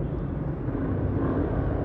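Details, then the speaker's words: Old Honda CBR inspected before purchase, engine started: steady, even low rumble at idle, slight tapping considered standard, with no harsh knocks or rattles — normal idle. "dengar aja suaranya kalau suaranya agak ada degdek degdeknya gitu kalau masih a nyala itu sebenarnya standar sih"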